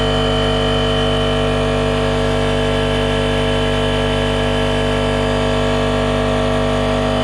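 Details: RIDGID 18V cordless air compressor, Gen5X brushless motor, model R0230, filling its tank to about 100 psi: steady, even motor hum with constant pump chatter and no surging or rattles; the compressor runs healthily.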